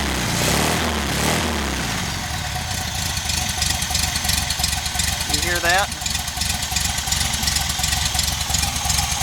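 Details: VW engine on a rigged temporary petrol tank, with a leaking fuel pump: it starts and settles into an uneven idle with a low, repeating woofing thump. The cause is unknown and the engine must come out again.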